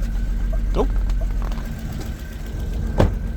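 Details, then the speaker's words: 1991 BMW 750iL V12 just after first firing up from storage: a low, lumpy idle with an irregular stumble and an odd noise near the mass airflow sensor; engine misfire at idle, with vacuum leaks or spark plugs still to be checked. "Well, it fired right up. Got a miss."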